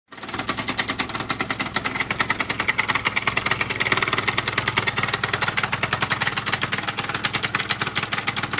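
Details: Two-stroke scooter at idle: a sharp, fast, even knock; crankshaft has no play, no knock at speed, new piston kit; the knock disappeared, then returned about two weeks later, cause unknown.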